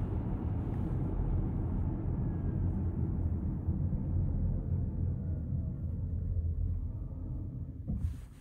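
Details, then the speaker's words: 2022 Ford Mustang Mach-E braking to a stop after the dealer resurfaced the rear rotors: road rumble fades, then a brief brake grab right at the stop once regenerative braking ends; normal for this car. "grabbed in right at the last second there the rest of the braking was done by the motors through the regenerative braking you just heard that little bit of grab in the brakes there that's exactly what a Mustang machy should sound like"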